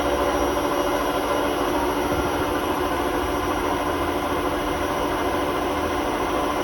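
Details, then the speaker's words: Hotpoint WMA32 washing machine on a spin at 800 rpm in its last run before new bearings; constant coarse roar and rumble; drum rubbing the bearing seal, bearings practically gone; worn drum bearing rumble. "the drum is basically rubbing against the bearing seal. So the bearings are practically gone in the machine, so we've had to order some new ones."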